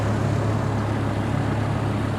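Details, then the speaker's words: Auction Chevy 3500 pickup, 3.5 liter straight-five, idling: low, smooth, steady hum with an even beat and no knocks or stumbles; idles good. "yeah yes say there we go it idle's good though"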